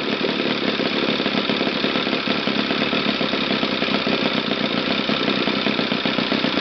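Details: Used eBay Saito FA-60T flat-twin model engine, first bench test run before refurbishing: fast, even buzz at steady speed with no misses, surging or knocks; runs well from low to top RPM.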